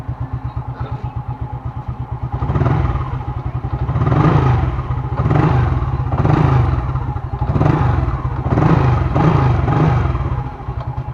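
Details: Single-cylinder motorcycle after cleaning the spark plug to fix hard starting: starts right away, holds a steady idle, rising and falling with throttle blips; pulls cleanly.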